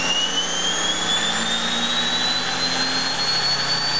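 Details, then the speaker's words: Model hybrid steam-turbo-electric turbine with the generator load (street car) removed, spinning up to about 9,500 RPM. A clean whine climbs smoothly with no rubbing or rattle; it has been run up to 20,000 RPM. "a low like that it's running considerably faster that was about 9500 RPM and as I said I've had it up to 20,000"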